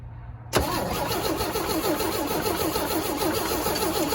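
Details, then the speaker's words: 1965 Chevy C10 short bed, one owner, sat since 1994: starter cranks steadily, engine never fires; owner suspects bad mechanical fuel pump (no fuel delivered, unless it needs priming), plans temporary electric pump. "Well, doesn't look like the fuel pump is any good, unless it just needs primed."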